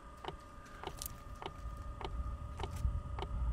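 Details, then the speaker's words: Chinese Vevor diesel parking heater (5 kW unit limited to 2 kW) in a van, normal start-up: after glow-plug preheat the fuel pump ticks about every 0.6 s, fan hum and combustion rumble building as power and pump frequency ramp up. "et là on entend bien que dans le brûleur il se passe des choses c'est la combustion qui se passe on va avoir un cycle de démarrage qui va monter très haut en puissance le système ça va commencer à souffler et à monter en fréquence de pompes"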